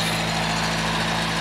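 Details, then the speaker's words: Datsun 521 pickup's small four-cylinder, newly running: even, steady idle hum with no knocks, misses or whine; runs smooth, though it smokes under load and dieseled after shutdown, pointing to worn valve stem seals. "I think it's going to be it runs good listen to it running"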